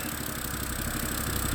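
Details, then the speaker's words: 2011 BMW E90 M3 idling after valve cover gasket and valve replacement: uneven chugging idle with stumbles, smoke from the rear; scanner reports cylinder 2 misfire and bank 1 and bank 2 lean codes, cause still unknown. "but it says that cylinder number 2 is misfiring, and it also says that bank 1 and bank 2 to lean, and then flow to air, something."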